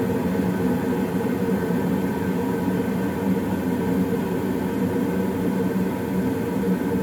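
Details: Old Goodman gas furnace after startup: steady, even whoosh of inducer fan and burners with low hum, no rattles or squeals; running normally.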